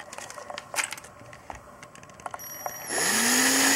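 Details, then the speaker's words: 3-year-old Ryobi 18V ONE+ CDC18022N drill/screwdriver spinning with no load after handling clatter: steady high-pitched electronic whine from the speed controller, normal for this tool. "слышно Как пищит частотный преобразователь сейчас вот имел обращение с макито у неё цифровой не слышно регулятор"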